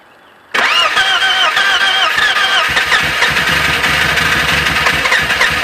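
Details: BMW E36: long whirring crank with uneven chuffing before the engine finally catches and settles; hard starting, cause not evident.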